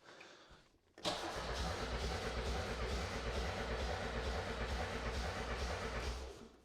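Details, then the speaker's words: Audi 80 with no spark (one spark appeared once, then none): steady cranking at about three turns a second for five seconds, and the engine never catches. Cranks but won't start. "R: Nope! But still, I wonder why it gave us one spark, but it doesn't spark any more.."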